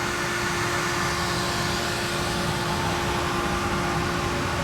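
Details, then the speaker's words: Natural-gas-fired grain bin dryer drying soybeans, not cycling: a constant high-pitched fan whir over a soft steady rumble from the natural gas burner, no surging or rattles. Normal running. "That roar you hear 2 things there. You hear the high-pitched whir, that's the fan, and there's a rumble underneath. That's the natural gas burner."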